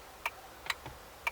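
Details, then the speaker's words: MK2 ST225 (XR5), after replacing the burnt 20 A wiper fuse: single sharp relay clicks about every half second with no motor hum when switching the windscreen wipers; relay works, wiper motor stays dead, wiper motor suspected faulty. "still nothing all right so it's the motor as you can hear when I click the windscreen wipers the relay is still working so"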